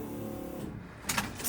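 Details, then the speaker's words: 1993 Ford XG ex-police divisional van, key-on in neutral after refuelling with petrol: a brief steady electric hum of the fuel pump priming normally, followed by clunks. "You definitely can hear that fuel sender pumping."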